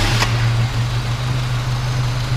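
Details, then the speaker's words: 1971 Dodge-Mitsubishi Galant Colt, original Saturn engine, near-cold start: starts easily, smooth even low hum with steady beat, no tapping, misfire or hunting; healthy idle. "know runs really smooth you've gotta rev it up a little bit"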